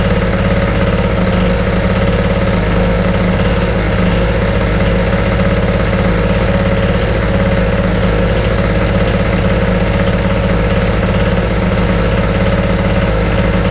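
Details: Wolf 950 small two-stroke generator from a job lot, started on choke: steady even drone with constant low beat, no misses or surging; running smoothly.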